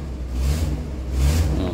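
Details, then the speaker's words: VW Crafter diesel whose corrugated EGR flex pipe, running from the exhaust manifold to the EGR cooler, cracked from vibration: each rev blip brings a rushing hiss that swells with engine speed, an exhaust leak. "Да это оказалось именно эта трубка гофра трубка которая с выпускного коллектора идт на р р с охладителем вот этот маленький коротенький перешеек именно он и у меня тогда перегорел сломался"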